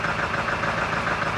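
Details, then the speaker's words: 1999 Ford F-250 7.3 Powerstroke diesel just after fuel pump and fuel filter replacement, started with throttle; slightly uneven, lumpy, shaking idle as air is purged from the fuel system; rough idle from air in fuel system. "a little gas it's gonna be rough for a while get that air out of the system shaking a bit"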